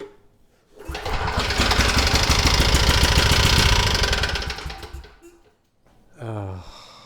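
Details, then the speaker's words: Briggs & Stratton engine on a Storm Responder generator, said to have run out of oil and thrown a rod, carb filled with 2-stroke fuel: fires and runs hard with a fast, even hammering knock, then shuts off. Rod knock suspected. "I think I just got scammed. It sounds like rod knock to me."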